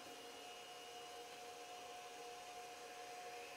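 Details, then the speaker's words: External SCSI hard drive, recorded on mono mic: loud steady high whine and rushing air as drive spins up like a jet engine; noisy but even, sounds healthy. "the hard drive spinning up okay so it's kind of like a jet engine"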